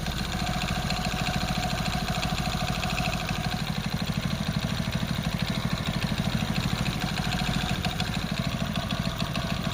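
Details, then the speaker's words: Hero Splendor Plus/Passion BS6 single-cylinder bike engine at idle with a dull knock about three per second running through it; worn crankshaft bearings, crank knock rather than weight noise. "तो guys जो सुन लिया वो sound उसका crank का है। अगर आपकी गाड़ी में ऐसा साउंड आए तो आपको समझ लेना चाहिए कि आपका इंजन का क्रैंक का साउंड है।"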